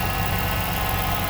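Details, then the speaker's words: 2006 Chrysler 300 SRT8 V8 at idle after an intake manifold gasket replacement for a suspected leak causing cold-start vibration. Smooth, even burble with no shake, stumble or lope, a normal idle versus rough before. "Runs so smooth. Wow. Before, it was like a Mack truck. Purring like a putty cat."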